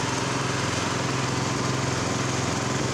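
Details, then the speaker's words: Brand-new replacement engine on a Honda F501 tiller, first start on one pull: fast, even single-cylinder putter idling at about 2100 rpm, a bit high, with slight lean popping in the exhaust noted; high idle speed. "about 20. 2100 it's a little high but it'll be fine it's not gonna hurt anything"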